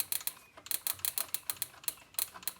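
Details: 1969 Dodge Charger with a no-start after two bad distributors: a spare small-block distributor touched against the engine gives sharp uneven snapping spark clicks to ground; this distributor still fires properly.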